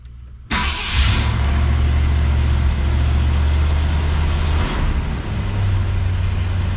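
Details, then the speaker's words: 1966 Ford Galaxie 500 convertible, cold start after sitting, to check the choke settings. It catches at once and settles into a steady, even rumble. A normal cold start. "the engine is cold let's uh see how it starts once to the floor and back"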